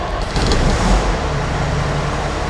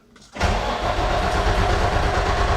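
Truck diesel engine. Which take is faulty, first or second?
second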